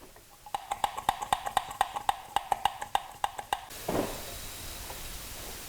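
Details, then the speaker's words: Viewer's car towed in with coolant in oil, told blown head gasket: cooling system pressurized with pump, dipstick removed; frying-egg sizzling, bubbling from oil dipstick tube, quick wet popping about four a second, absent once pressure drops; internal coolant leak into crankcase. "it kind of sounds almost like a frying egg a little bit with some cavitation or bubbling a fancy word there and uh you can kind of hear sort of a sizzling sound almost coming from that oil dipstick"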